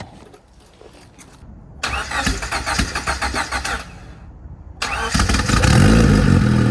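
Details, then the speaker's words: Turbo Honda Civic (about 400 hp) cold start, back running after months sitting: cranks a couple of seconds, pauses, catches into steady, even idle, slightly squeaky; much better than before. "She's a little squeaky. But that's way better though. That's a lot lot better than what it was reading."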